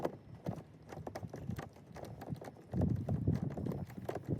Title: Audi Q7 mysterious knocking sound inside rear door!